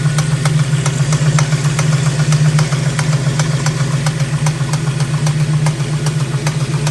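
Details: Ford 351C V8 with a suspected engine knock: steady idle with a sharp, regular tapping about four times a second on top; source not pinned down.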